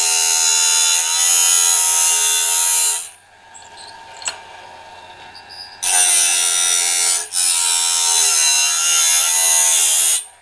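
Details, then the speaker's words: Norwood BladeMate Pro band-blade sharpener, gullet cut after height adjusted: high, even grinding whine in steady bursts with short quiet gaps between teeth; gullet cut cleanly, correctly adjusted, normal gullet grind. "One is on the face of the tooth, just a little bit of a scritch, and then the other is the gullet."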